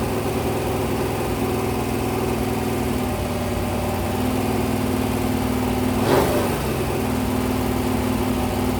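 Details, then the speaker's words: Rebuilt 426 Gen 2 crate Hemi on a run stand during cam break-in at 2400–2500 rpm, 32° timing, about 150°: steady smooth drone with no knocks or ticks, healthy fresh rebuild. "I'm at 2400 2500 RPM, 32 degrees of timing. Every so often, I'll rev it."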